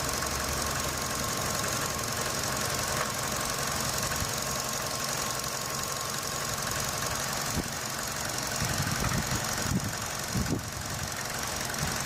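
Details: Running engine, sound carried from the radiator fan housing through a selfie stick and knuckle to the phone mic: a dense, steady buzzing rattle, previously diagnosed as a loose radiator fan housing.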